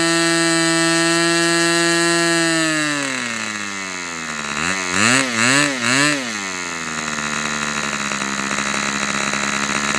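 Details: Customer's Fox twin-cylinder glow model engine on outdoor test run, glow igniter left on: high even buzz briefly sags and warbles, then settles to steady run; healthy after needle adjustment.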